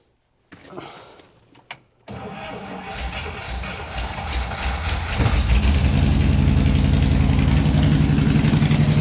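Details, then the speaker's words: 1961 Buick Electra 225 with original 401 Nailhead V8, choke fully closed, fuel pump on; cranks, catches and runs lumpy with occasional spitting and popping, carburetor needs a rebuild. "See, uh she definitely runs pretty good. It's spitting and and popping a little bit."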